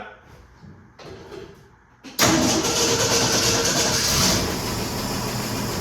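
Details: 1966 Ford F100, freshly swapped-in known-good 300 inline six (replacing engine with rod knock), first start after oil fill, no coolant yet: starter catches quickly and settles into a steady, even, healthy idle.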